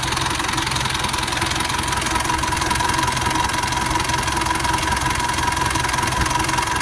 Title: rough idle sound